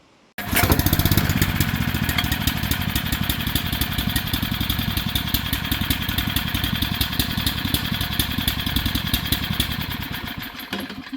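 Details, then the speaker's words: Heavily used Generac 3500XL generator that sat unstarted in a shed for 3 years, after new carb gaskets and pulls on full choke: steady, even putter holding speed for ten seconds with no surging; it runs normally and no longer shuts off. "It's running. Not shutting off now."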